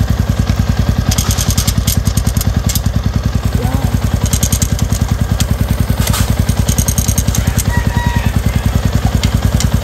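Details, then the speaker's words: Yamaha Sniper 150 V2 with aftermarket TRC pipe, after tightening the loose sensor plug on the exhaust: steady, even single-cylinder idle with no rattle or buzz from the pipe; now quiet. "Last tight mga boss. Yan, wala na. O, tahimik na. Yun lang yan. Takip lang ng bang sensor."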